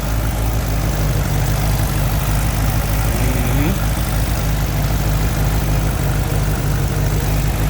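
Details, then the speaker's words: Six-cylinder engine, warmed up, first start since injector work and timing adjustments: steady, even low idle with a smooth beat and no knocks, misses or ticks; it runs clean. "Let's see if it's still acting right. Uh-oh. Yo, that's what I'm talking about. Turn key ready."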